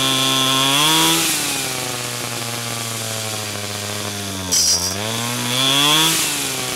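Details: 49cc/47cc pocket bike two-stroke after carburetor replacement for a non-running condition: clean buzz, pitch rising and falling smoothly with throttle blips, no misfire or stumble; runs healthy.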